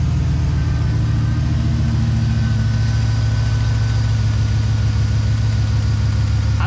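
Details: 5.3 V8 truck idling: uneven stumbling beat, dull thud dropping out every few turns; ignition misfire at idle, owner mentioned cylinder 4 code, no check-engine light back yet.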